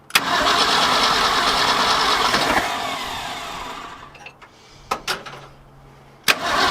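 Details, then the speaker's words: 1966 Ford F-250 with a 352 FE V8, parked since 1992, on a cold February day after a carb rebuild and oil change: cranks, catches and runs on its own with a steady rumble, then settles. Idles right away. "i pretty much just idled right out of the gate i gave it a little bit of juice there just to kind of make sure that the accelerator pump and whatnot is accelerating i think we got us a runner"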